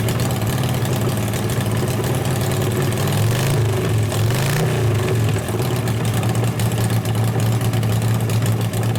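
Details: 1988 Harley-Davidson FXR V-twin after alternator, clutch, primary, cam and ignition work, possibly a little cold: a loud, deep, loping idle holding steady with a slight blip midway and no knocks or ticks. It idles normally.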